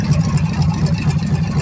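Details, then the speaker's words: Freshly rebuilt budget Chevy 350 small block on the floor, 6 psi oil pressure, radiator cap and fan not fitted: steady, even low throb through loud open headers, no knocks or ticks. Normal idle. "I apologize for the way the sound is on this. These headers are horrible, made this engine sound horrible."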